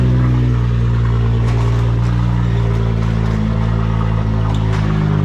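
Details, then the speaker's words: Nissan Skyline R33 GTR (RB26) idling after enabling the injectors and rebooting the ECU: a steady, even, smooth idle with no misses, knocks or ticks. "I do have everything is working good everything is working good so uh yeah finally this thing is actually going"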